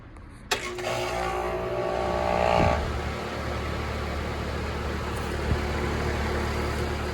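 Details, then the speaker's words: Outdoor AC condenser, either a 2003 2.5-ton Carrier 38CKC or a 2006 1.5-ton Comfortmaker. It kicks on with a sharp thump, then settles into a steady, even low hum with a light fan rush. The startup is healthy, quiet and sounds really good. "That sound sounds good. Quiet. Yeah, that sounds really good."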